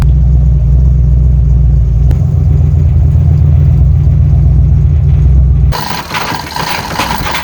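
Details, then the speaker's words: 1993 GMC Sierra, 350 small-block V8 with small cam, headers, Magnaflow mufflers with X-pipe, Edelbrock carb, after fuel problem fix, cold start after two days sitting: heavy, lumpy V8 rumble at a steady, even idle with cam lope; normal cold start and idle. "this will be a little cold start for y'all been ain't been ran in two days so we'll fire it up"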